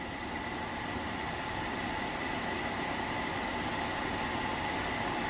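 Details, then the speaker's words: Atwood 7916-II propane furnace, pulled from a popup, bench hot-wire tested in a garage: a steady airy blower whoosh with a faint hum and no ignition click yet, the normal pre-purge before propane comes on. "so it's going to run for a little bit I'm going to hear that click over and let the propane in"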